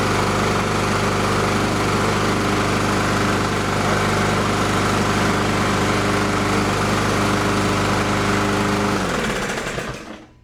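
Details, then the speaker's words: Neglected Toro Recycler mower, Briggs & Stratton 163cc, started with a spark plug tester fitted while diagnosing a no-start: it runs at a steady fast beat for about nine seconds, then dies. "Looks like we got it to light up, and it sounds like it's going to want to start."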